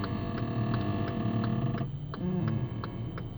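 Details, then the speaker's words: Hyundai Elantra AD, 7,500 km, stationary while the steering wheel is turned slightly: sharp metallic creaks about three times a second over a low groan from the front suspension, sounding like metal on metal. "хочу чтобы послушали какие у меня скрип и стоны издаёт автомобильный просто я стою и слегка короленко докручу"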